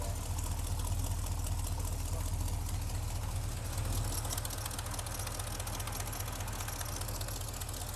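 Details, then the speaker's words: 1975 Chevy C10 V8 after intake work, oil not yet changed, warming up, reading 50 psi: low heavy idle with lumpy uneven pulse, shaking, smokes heavily when revved; owner feels it missing, cause unconfirmed. "Every time I give it stuff, it's smokes like hell. Feel it shaking like it's missing."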